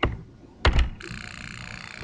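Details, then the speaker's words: Haltech PS2000 boost control solenoid after soldering a loose broken wire, commanded via ECU Manager: a click at 0% duty, then at 50% a steady, even high buzz as the solenoid cycles constantly. "now let's say tell a 50% it's going to start clicking constantly"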